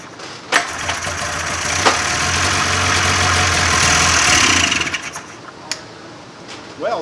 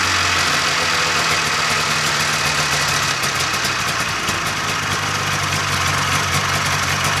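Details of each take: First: 1995 Polaris Indy 440 snowmobile after carb cleaning, new fuel lines, fuel pump and carb boots, fuel poured into cylinder: rope-pull clatter then a few seconds of ragged popping that fades; fires briefly then dies, fuel likely not yet reaching carburetors. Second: 1995 Polaris Indy 440 snowmobile two-stroke after carb cleaning, new fuel lines, fuel pump and carb boots: crisp, busy buzz holding an even, steady idle for twelve seconds before shutoff; runs clean and healthy.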